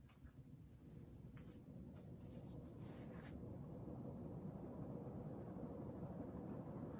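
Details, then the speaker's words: Panasonic/KDK Excalibur ceiling fan drawing about 0.39 A and 29.4 W: quiet, even whoosh of air with little mount noise and only a slight wobble, moving strong air; normal running. "I'm not getting a lot of it now. There's a little bit of a wobble, but nothing disastrous. Moving really good air. This is a very powerful fan."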